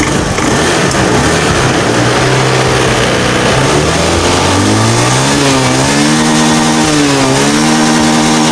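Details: Scopy scooter after repair for sputtering, bogging and frequent stalling: engine revs up smoothly and holds an even steady drone with no stumbling or cutting out; runs normally.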